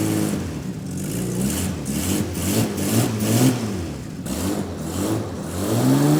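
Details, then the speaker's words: 1984 Jaguar XJ6 Series III, first run after head gasket replacement: engine blipped up and down with no misfires but a raspy puffing that grows with revs. Exhaust leak at a modified, likely cracked downpipe; the belt is also slightly loose. "it runs pretty good actually we don't have any misfires but we do have a exhaust leak on that side that was expected because as we showed you earlier they've done some modifications to the downpipe"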